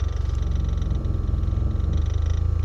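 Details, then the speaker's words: 1987 VW Cabriolet MK1, new in-tank fuel pump fitted after the old one failed rattly and cavitating: a low, even purring hum with a faint steady whine; normal fuel pump running. "Oh yeah, I can hear that new pump running away in there. Good."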